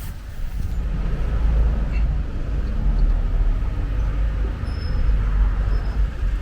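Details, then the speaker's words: Used Mazda MX5 viewed for purchase, fitted with aftermarket coilovers, anti-roll bars and strut braces: engine catches and settles into a low, steady rumble with no misses, knocks or rattles; starts up fine, a normal start. "get Rhino now starting up fine no battery there's no reason to believe started beforehand"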